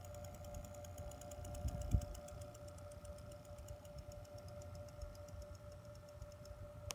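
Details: Two-week-old Corsair CX750M power supply in a PC with a stock-clocked 4790K and GTX 980: quick, steady ticking about three or four per second over a faint electrical whine; horrible clicking, cause unknown.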